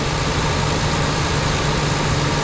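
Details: Rebuilt Ford Ranger 4.0, with a new accessory drive kit and the right water neck fitted; smooth low idle hum with no knocks or misses, engine still cold and running cleanly.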